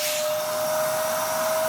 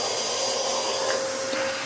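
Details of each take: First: Dyson vacuum from a free job lot, airflow tested with filter in as found: even motor roar with a constant thin whistle; suction low, reading 80, because air leaks through a hole in the hose. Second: Dyson DC07 upright vacuum from a free job lot, second machine tested before refurbishment: smooth, steady motor howl with a clean high whistle and even airflow, no rattles or surging; runs healthy.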